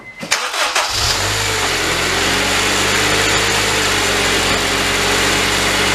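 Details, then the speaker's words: 2002 Honda Civic Si EP3 K20A3 after replacing a belt idler pulley whose bearings had failed, causing a rattle at 70 mph. Crank, catch, then smooth even idle, no rattle or chatter, pulley not wobbling. Normal accessory belt drive after repair. "all right we're looking good no more noise pulley down there night not wobbling or anything"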